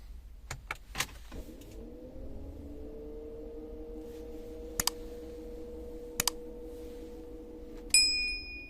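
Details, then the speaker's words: Renault Scenic 3, 2.0 dCi M9R, fails to start: starter turns about one revolution and stops, no dashboard errors, radiator fan runs at full speed with steady hum and light clicks; wiring suspected, none found faulty. "А на приборці помилок ніяких немає при цьому, але крутиться вентилятор радіатора. Це все, що чути з-під капота."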